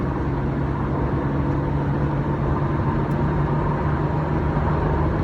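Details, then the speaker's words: 1997 Chevrolet Camaro RS, 3.8L V6, interstate road test pulling hard at highway speed after fixing a P0303 cylinder 3 misfire: even engine drone under heavy road noise, smooth with no stutter or hesitation. "all right we're back no stutters no hesitation one bit we're back"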